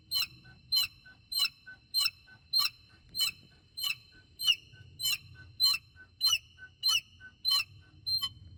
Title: BMW E70 X5 Birds Chirping Noise